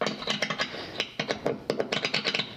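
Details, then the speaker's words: Epiphone Les Paul 100 during setup, pickups tapped through the amp to test the electronics: sharp, uneven taps come through clean, no crackle, hum, scratchy pots or dropouts; pickups and wiring normal. "I think you can hear this I'm not hearing any scratchy pots okay so this is all good"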